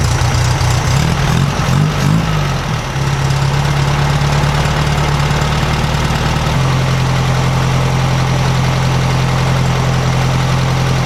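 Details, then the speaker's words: 1956 VW Beetle air-cooled flat-four with Solex carburetor after valves readjusted to 0.006in: throttle blips then steady even idle, smooth low thrum, no misses, knocks or valve rattle; accelerator pump possibly binding on alternator. "it's a lot quieter than it was a lot quieter still sounds like a sewing machine but no more of that rattle rattle rattle rattle not from either side"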